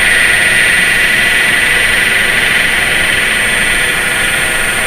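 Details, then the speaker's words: Grizzly G0733 18x47 lathe, bought in June 2012, running at 1690 RPM: constant rough, gear-like drone with a thin high whine in the headstock; motor silent run alone, noise only with the spindle attached, now persistent; bearing suspected. "a little bit of a noise issue in the headstock running at 1690 RPM sounds rough almost like a gear driven gear driven noise"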